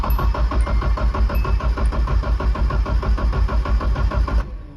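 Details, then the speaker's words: Nissan 240SX S13 KA24E drift car after a blown turbo was replaced: with the ignition unplugged so it won't spark, it cranks about four seconds to prime oil through the new turbo. The starter churns evenly at about three compression pulses a second with no firing, a normal crank. "So then it just cranks, but it won't spark, so it won't run. And then you crank it over for 4 or 5 seconds to let oil get through the turbo before you plug it back in and run it."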